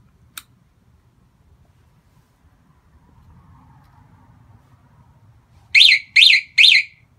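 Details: 2005 Kawasaki ZX-6R 636 that still won't fully turn over after a battery replacement: faint click, then three sharp high chirps after switch-off, like an alarm, though none is known; cause unknown.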